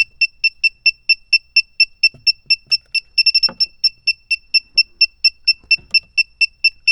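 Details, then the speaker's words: A/C refrigerant sniffer, after compressor, condenser and line connections were checked: fast steady high-pitched beeping at about two a second. Refrigerant leak suspected at the expansion valve or around the evaporator. "I checked all around every connection with the uh compressor the condenser all the lines going to it and I'm getting a sniffing reading right around here"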